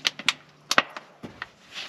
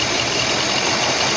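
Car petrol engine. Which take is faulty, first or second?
first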